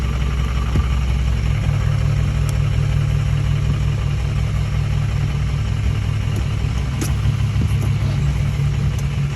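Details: 2004 6.0 diesel idling with a deep, uneven, loping beat instead of a smooth drone; rough idle, cause unknown.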